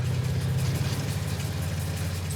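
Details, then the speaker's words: Cadillac Eldorado project car on the road after a brake check: low steady idle with a faint extra hum, "what is that noise", brakes then fail; source unidentified, cause not confirmed. "what is that noise HB cap is it I mean oh no breakes no brakes"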